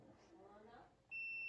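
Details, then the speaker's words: Microwave control board, timer set and running, multimeter on continuity across large relay contacts: quiet bench shuffling, then steady high continuity beep starts and holds; relay closing properly, board working. "pronto tá funcionando perfeitamente se ele não funcionar ou o problema é no relê ou no circuito que é só no relê"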